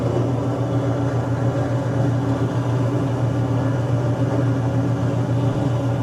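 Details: Washing machine spinner with water in it: steady low motor hum with no rise in pitch; spinner runs but turns slowly, not reaching normal spin speed.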